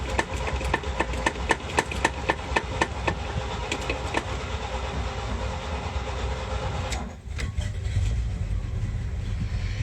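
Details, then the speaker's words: 1977 International Super Scout II V8, 4-speed 4x4: starter churns about four beats a second for several seconds, pauses, then engine catches into rough idle; hard starting, choke doesn't close when pulled, slop in cable, original unhooked. "I gotta figure this choke out. Like I said, I noticed when you pull it, it doesn't close. It's got some slop in the cable, and he had unhooked the original."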